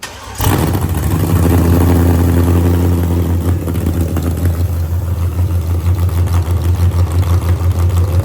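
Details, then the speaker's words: Burnout truck V8 first start after upgrades (milled heads, C16 fuel, nitrous, fuel pressure set to 55 psi, regulator refitted the right way round): cranks, catches cleanly and settles into a deep, lumpy, loud idle with a steady low rumble. Normal start and idle. "Dude, smells like a lot of money coming out of the exhaust."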